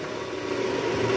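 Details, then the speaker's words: Toyota Estima 2AZ-FE petrol engine, just started, A/C on, in R or D: coarse, uneven rough hum from the oil-pan area, diagnosed as a worn balancer shaft. "Nah, untuk kali ini kita mau mengatasi gejala trouble, yaitu suara mesin kasar pada saat awal mesin hidup, guys."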